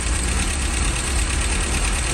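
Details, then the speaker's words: 1969 MGB idling after adjustment: low, lumpy idle with uneven thumps, idling a little low; rough idle persists, cause not yet found, adjustment not finished. "I still feel like something's something's not right obviously I don't think I'm done adjusting"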